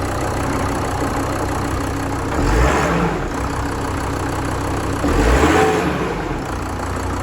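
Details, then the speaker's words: VW Crafter 2.5 diesel van: heavy clunking on start-up and again at shut-off, rough idle; noise goes away with clutch pedal pressed and revved, so owner believes the clutch/dual mass flywheel is at fault, gearbox coming off. "so what you can hear there you can hear it as it's starting up you get that clunking you also hear it when he shut it off you hear it again"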